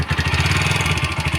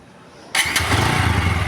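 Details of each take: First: TVS Apache RTR 160 4V, not very old, with pickup problem: engine runs with quick steady light tapping over the beat, pointing to loose tappet clearance before adjustment. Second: TVS Apache RTR 160 4V motorcycle after tappet adjustment to cure engine noise and pickup problem: catches at once and settles into an even, steady idle with no top-end tapping; smooth after repair.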